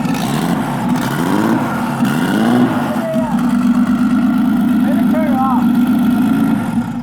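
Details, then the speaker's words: Nissan GTR: fresh start catches and revs unevenly with a lumpy, stumbling beat; no ignition suspected at first, and the oil smells of fuel. "crank it over real quick let's just hear it [Applause] it's not getting ignition there's no addition the oil smells like fuel maybe it is getting ignition"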